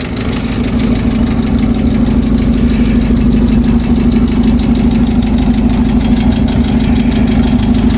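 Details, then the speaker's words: Ford Courier mini truck at idle, ignition coil noted as leaking: an even, steady idle with a smooth mid-pitched hum and no knocks or misses. Normal idle. "So just a cool little truck, you know. Let you give a listen to this here sewing machine."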